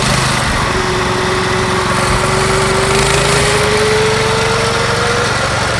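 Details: Yerf Dog go-kart with a Predator 212 engine and stage 1 kit, replacing the stock Tecumseh, gearing unchanged, pulling away: steady single-cylinder drone climbing smoothly in pitch; quieter, smoother, better acceleration, healthy under load.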